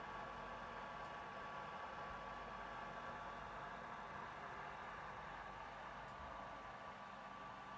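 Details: PS4 console: steady loud rushing air with a thin constant whine on top and no rhythm; the cooling fan is running loud, cause not clear.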